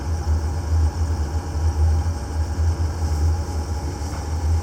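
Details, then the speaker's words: Diesel idling with a deep throb pulsing several times a second; pump supposedly brand new, noise seems to come from the flywheel area. Cause suspected, not confirmed. "that's supposed to be brand new pump [Music] it sounds to me like it's in the flywheel area though doesn't it yeah"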